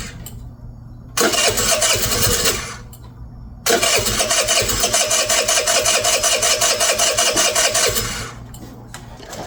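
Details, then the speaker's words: MVP 49cc Chinese two-stroke scooter, after carburetor, intake, spark plug and coil replacement, airbox closed: fires and buzzes briefly, dies, catches again and sputters unevenly before fading; starts but won't stay running, cause not yet found. "So, I feel like we're kind of back where we started here, except now it starts. Um, but now it won't stay running."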